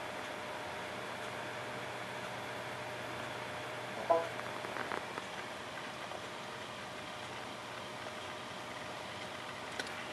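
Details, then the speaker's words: Hard drive that was clicking, after its controller board was replaced with a matching donor board: faint steady whine with a couple of soft seek ticks and no clicking; the drive spins up and reads data normally. Normal hard drive operation. "and that's much better as you can see replacement of the controller not only brought the hard drive back to life but we actually don't have to use any recovery software"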